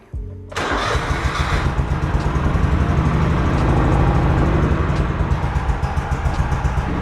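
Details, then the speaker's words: Honda Acty 2-cylinder carbureted kei truck after carb adjustment and fuel pump trouble: catches after a few cranks, then a lumpy, uneven chug that never smooths out; it runs on one cylinder only, and the plug is to be pulled. "Now I don't know if it's supposed to sound like that. Definitely not happy though, is it?"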